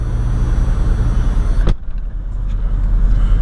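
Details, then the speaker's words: Jeep Cherokee XJ 4.0 after throttle body adjustment fix for high, erratic idle: low, steady, even idle with no misses or hunting, settled speed; also stable when put in gear. "nice and civilized hidden Idol was shaken up nice and stabilized just by adjusting myths I'll show you something when I get inside okay so you see where we're idling now"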